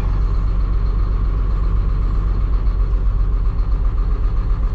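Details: Caterpillar 3126E diesel truck, driver reports power loss and a skip, only unrelated fuel level code: steady even idle rumble with regular beat, no clear drop-out here; misfire later traced to a bad injector by cut-out test.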